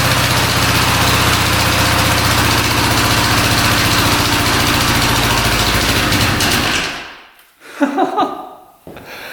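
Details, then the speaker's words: 1975 Honda 1000cc four-cylinder motorcycle, first run after 25+ years of storage, points cleaned and spark on all plugs, carbs not yet cleaned: a steady, regular idle putter for several seconds before shutting off; runs evenly. "She's alive after 25 plus years. That is crazy. That means timing was spot on."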